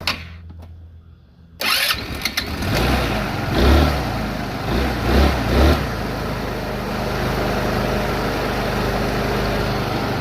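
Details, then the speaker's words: 150cc VIP scooter, GY6 engine, that would not run, right after replacing carburetor and intake: several stubborn cranks while the fuel filter primes the new carb, then it catches, revs a little and settles into a steady, even idle; normal idle. "She's a little bit stubborn cranking, but that's cuz the fuel filter had to prime the new carburetor. But listen to that baby purr."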